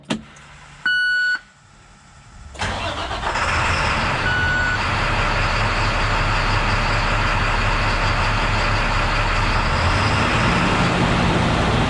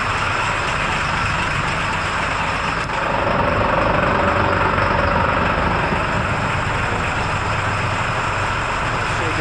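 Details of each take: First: International WorkStar diesel after restart: cranks a second, catches cleanly and settles into a steady, even idle with no stumble. It had earlier idled at about 500 rpm and would not rev, which the owner blamed on a stuck exhaust brake flapper. Now it runs right. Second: International WorkStar diesel running poorly at about 500 rpm with scan tool showing 99.5% engine load. It won't rev and has a low, labored, lugging idle with a choked, muffled exhaust and almost no exhaust flow. Cause: exhaust brake stuck on.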